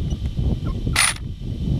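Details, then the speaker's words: OFNA GTP2E RC buggy with Leopard 780kv 56110 motor on new gearing: brief harsh ratcheting rasp over drivetrain whir under throttle as the loose drive gear slipped and destroyed the inner gear, causing loss of power. "so guys righted the inner gear guys this gear came loose the drive gear came loose came out of whack destroyed that inner gear"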